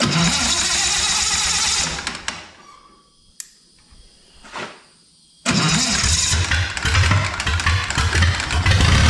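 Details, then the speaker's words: SA-200 welder engine, just running again after freeing three stuck valves, no coolant, old oil, burning off PB Blaster: cranks, catches and settles into steady even running, no knocks; sounds pretty good. "as you can see we're burning off all that PB Blaster whatnot was in there but sounds pretty good"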